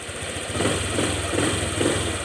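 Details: Honda Click 125 scooter at 160,000 km, after crankshaft/connecting rod replacement: steady, even low putter at idle with no knock or rattle; normal idle.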